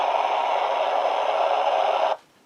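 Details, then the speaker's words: Yaesu FT-207R 2-meter VHF handheld, late-1970s, on 147 MHz: transmits, but receive gives only steady hiss with no voice or carrier despite a 1 kHz-modulated signal; fault traced to a receiver IC, suspected faulty 2nd IF oscillator IC. "So, the realistic's picking it up. So, it's getting the signal and it's modulated at 1 kHz, but nothing."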